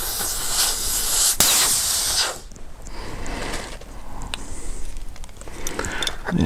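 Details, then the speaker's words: Mr Cool Advantage 12K ductless mini split heat pump install: loud steady hiss for about two seconds then dropping away as nitrogen holding charge bleeds off when port covers come off; normal. "so i don't know if you can hear that but it is definitely releasing a lot of pressure so we're going to let that bleed off"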